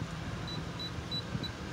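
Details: 2009 Honda Pilot, about 145,000 miles, first test drive after replacing the sway bar link for front-end creaking and bonking over bumps: soft, even road hum with no clunks or knocks; repair fixed it.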